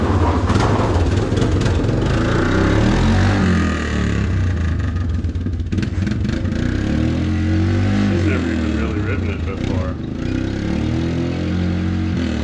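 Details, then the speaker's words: Yamaha Big Bear 350 ATV after front brake, throttle, wheel bearing, tune-up and recoil repair; strong steady single-cylinder rumble revving and settling, no misses or knocks: normal running. "um she rips though yeah got it working there you go"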